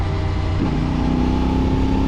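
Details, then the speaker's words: CFMoto 450MT on knobby GST tyres at 50–100 km/h on a mountain road: a steady droning hum over the engine that rises with speed. This is normal knobby-tread tyre noise, not a fault. "Tabii Hani olmasa daha iyi ama dişli lastik olduğu için üstünde bakın bir miktar böyle diye bir ses geliyor hız arttıkça artan bir ses"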